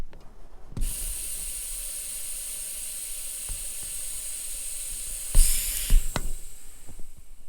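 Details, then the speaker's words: Maple sap vacuum tubing system with pump running: steady loud airy hiss for several seconds at a large leak in the line. Vacuum leak. "that's a good one this is where my big leak is so now i'm gonna check this whole line why i'm here"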